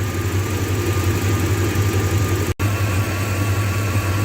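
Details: 2001 Dodge Ram 1500 Sport V8 idling while warming up after an engine swap to a good used engine because the old one needed a crankshaft; thermostat drilled to bleed and still closed. Deep, steady even rumble, no knocks or misfires; healthy.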